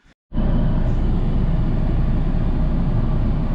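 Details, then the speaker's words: 2013 Ford Escape heater blower fan after clearing a mouse nest and fitting rodent screen mesh: steady even airflow rush with low hum, no rattle or ticking, cool air flowing; smooth, no vibration. "until that heater per no vibration nice cool air coming in is good once again"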